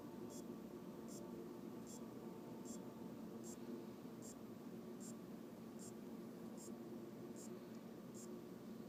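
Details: Aopen LCD monitor that won't power on, power supply reinstalled: faint sharp clock-like clicks about every 0.8 s over hiss; capacitors replaced, diodes, rectifier and transistor checked, cause unknown.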